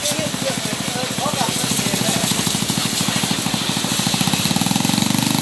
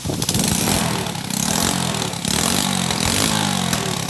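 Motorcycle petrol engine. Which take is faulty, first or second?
first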